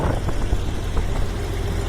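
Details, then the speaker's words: Model 125 mixer mill after repair (fan blade fixed, hammers balanced, new hydraulic motor): a steady low drone with only the fan's whir and no rattle or hammering. Normal, smooth, balanced running. "yeah now you can just hear the wor of the fan you can never hear hear that before it was just so loud"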